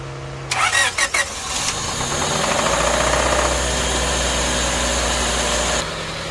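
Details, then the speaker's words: 1999 Honda Civic EK sedan with intake manifold swap, cold air intake and header, previously run with no oil: at cold start an uneven knocking runs under the idle; owner suspects a spun bearing on the first piston, and the knock fades once past initial startup. "so hopefully when i first started up you heard all the knocking that was going on i would have to guess it's the first uh piston has a spun bearing that's where it sounds like it's coming from"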